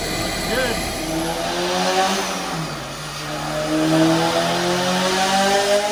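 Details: Honda S2000 with Kraftwerks Rotrex supercharger kit, just converted from cogged belt to 8-rib serpentine belt with tightened tensioner, start and rev: clean rising and settling pitch, faint blower whine, no belt squeal; normal running.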